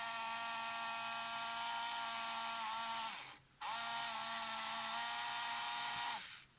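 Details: Polaroid SX-70 camera motor, bench-tested via leads on its pads before servicing: two high whirring gear-train runs of about three seconds, steady pitch with faint rasp.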